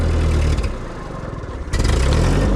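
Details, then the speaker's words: Machine, cold, just started in neutral with choke pulled: low heavy note dipping and surging unevenly; owner thinks the carburetor isn't getting enough fuel and it needs a warm-up; rough cold running. "I think it's probably because of that carburetor. It's probably not getting enough fuel, but we'll give it a little choke here. It really likes to have a warm-up."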